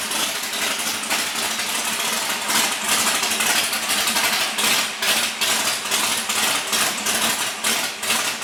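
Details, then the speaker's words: Larry Bullock's legendary Camaro drag car, first started after 8 years off the track following water pump and fuel pump repairs, checking oil pressure: loud lumpy idle with choppy cam lope, no knocking or rattles; big V8 running fine, normal. "AFTER 8 YEARS, THE BEAST IS AWAKENED. RIGHT, LARRY? >> You got her going. >> Uh, it sounds good."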